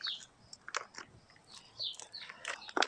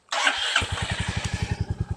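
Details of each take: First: Stolen, abused Royal Enfield Meteor 350: the starter churns steadily, about three turns a second, but it never fires because the side stand safety cutout blocks starting. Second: Stolen, abused Royal Enfield Meteor 350, first start since purchase, hot-wired with a screwdriver after a dead battery and the kickstand safety cutout: a short crank catches at once, then settles into an even thumping idle of about eight beats a second; a clean, healthy start.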